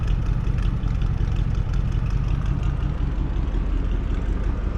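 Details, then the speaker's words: 1989 Ford F-150 first start after frame replacement with 7-inch C-channel and fuel tank refitted: fires easily after fuel pump priming and settles into a steady, even low rumble with no knocks or misses; normal idle. "Shoot. That lit off a lot easier than I thought it would."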